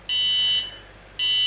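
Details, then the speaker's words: Arduino sewer flood warning system: water sensor placed in water reads wet and trips a loud high-pitched buzzer in half-second bursts; stops when the sensor is dried and reads 0. "and you can hear the buzzer notifying me that the sensor's wet. If I take it out and dry it, go down to 0 again, and it stops. And as you can hear, the buzz is quite loud."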